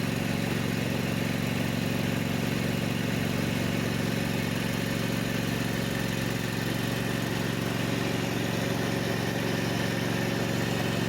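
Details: Kubota with a Kawasaki FD590/FD620 V-twin at idle after a valve cover seal replacement for an oil leak burning on the exhaust; it may smoke at first from leftover oil. Steady, even chug with no knocks or misses.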